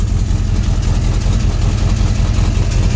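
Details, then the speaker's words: 1966 Plymouth Fury III 5.9L V8 with a Carter P4594 electric fuel pump at about 6.5 psi, unfinished exhaust with leaks: steady, even idle rumble with no buzz or whine on top; the pump runs quietly. "so there you go a Carter fuel pump is quiet and there it is right under there"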